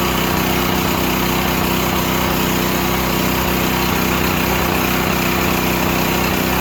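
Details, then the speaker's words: Used Stanley 8000 W all-weather generator, sat four years, running after a starting-fluid start, choke off; steady, even drone with constant low hum, no misses, surges or knocks, no strain, normal running. "Huh. You heard it run. I hate using starting fluid. I think it dries the cylinder out."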